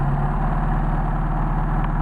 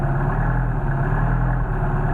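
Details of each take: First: Warm Mercedes 190SL at water temperature on worn Solex 44PHH carburetors, rebuilt without machining after someone badly bushed the throttle shafts. It holds a fast, even idle of about 1250–1300 rpm because the worn carbs draw excess air. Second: Mercedes 190SL with rebuilt worn Solex 44PHH carburetors (no machining), fully cold start after priming and a little choke: steady even low idle, no misses or hunting; idle expected to rise as carbs heat; normal cold idle.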